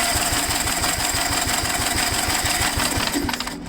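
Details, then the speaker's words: Gravely tractor engine cranking on starter, about four even compression pulses a second, never catching; good compression, no spark, owner suspects dirty magneto points rather than stuck exhaust valve. "sometimes you can be fooled by a stuck exhaust valve but it didn't sound like that to me it sounded like it had compression so I'm leaning towards the points being dirty as usual"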